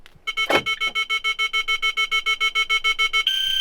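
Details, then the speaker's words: Thitronik alarm in a converted camper van: quick run of sharp high beeps about three a second ending in a held tone, warning that a roof vent is open. "je l'entends que quand je ferme mon véhicule et quand j'ouvre mon véhicule ainsi aussi quand j'ai un lanterneau d'ouvert"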